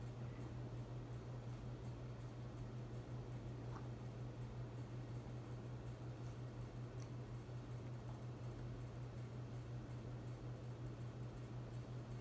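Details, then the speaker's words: Hunter Infiniti 52-inch bright brass ceiling fan in a living room, hum present on each speed: constant low electrical hum under soft air whoosh; owner plans to reinstall with the rubber grommets on the mounting plate to reduce it. "But I am gonna have to take down this fan again just to reinstall it because the fan does have quite a bit of a hum to it on each speed."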